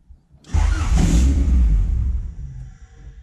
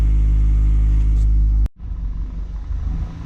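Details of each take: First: Honda CRX Si with new 3" Thermal exhaust, super cold start with no throttle: fires, may flare to about 1,500 rpm for 1-2 seconds, then sags and dies. Fast idle control valve missing, IAC duty 75; owner suspects that, unconfirmed. Stalls on cold start. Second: Honda CRX Si after Thermal 3-inch exhaust install, warm idle: smooth, even steady low beat for under two seconds before switch-off, after slight surging idle around 500–1000 rpm during warm-up; normal warm idle.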